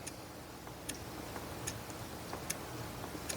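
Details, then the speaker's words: Kustodian Plus bowling lane machine, squeegee up/down error: enable relay clicks repeatedly about every 0.8 s while the motor sometimes tries to run, sometimes not; traced to a poorly patched, taped wire splice. "The relay's clicking. I can hear the enable relay. Sometimes the motor wants to run. Sometimes it doesn't."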